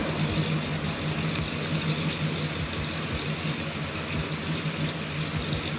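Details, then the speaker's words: 2005 Chrysler 300C 5.7L Hemi after cam install, with exhaust and headers, idling: deep, uneven, loping idle with a choppy exhaust pulse; normal aggressive sound of a healthy cammed V8. "Listen to that thing, man. Listen to it. With a cam, exhaust, and headers. That's it. It's nasty."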